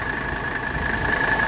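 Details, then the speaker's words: 1985 Mercedes 300SD diesel, AC on full blast after AC service and belt tightening: steady even idle with a faint constant whine and no compressor chatter; belt tension now correct. "all right the AC is on full blast and you can hear we don't have any more chatter from the compressor because we tightened up that belt"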